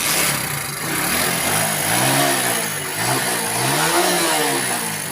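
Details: Honda 70-type motorcycle that knocked and missed without battery, now running after DC unit fitted: single picks up cleanly on each throttle blip, revs rise and fall evenly with no misfire; running properly.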